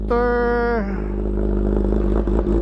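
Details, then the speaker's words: CH2 started very cold after sitting about a month, battery fitted the day before: starter whirs briefly, then a loud, busy, high cold idle that settles steadily; normal cold start. "So ganyan kaingay yung cold start ng ating CH2."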